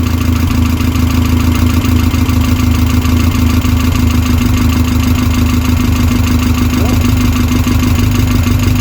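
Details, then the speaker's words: Westfield SEiW kit car engine, first run after 7 years idle and new cambelt kit, manual choke, no coolant in: even steady tickover with constant low hum, no misses, knocks or ticking; normal idle. "I don't want to leave it running too long because we've not got any coolant in at the moment, but sounds good though. Sounds really good. Ticking over lovely, considering that's not been run for 7 years."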